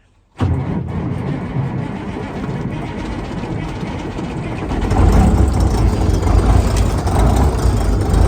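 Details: 1972 Ford L900 dump truck with an 855 Big Cam Cummins diesel, first start in late March after sitting since fall: the starter cranks briefly, then it catches and settles into a steady, even rumble that firms up; healthy cold start.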